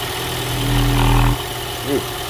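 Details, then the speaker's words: Cold-start rattle from a 4-cylinder engine, dead cold after sitting overnight, oil clean and full: it revs briefly, then drops to idle with a rough metallic top-end clatter; timing chains or VVT actuator suspected, not confirmed. "Okay. So the motor's dead cold. Woo! There we go. That's timing chains. Well, timing chains, or it's a VVT actuator."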